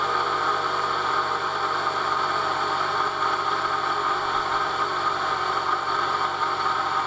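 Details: Jeep Cherokee XJ after a water pump and thermostat replacement for a coolant leak, with a new belt and the heater fully open. Smooth, even idle with a steady whir and no ticking or squeal; no big leaks seen.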